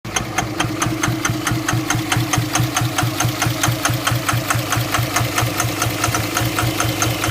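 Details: Cummins 24-valve diesel at idle: sharp regular clatter about one and a half times a second with an uneven stumbling beat; misfire, owner suspects bad injectors, not confirmed.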